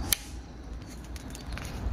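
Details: Mini limit switch rated 5 A, 380 V AC: one sharp, crisp click as the lever is turned either way, then quiet room hum; switch snaps over cleanly and works properly.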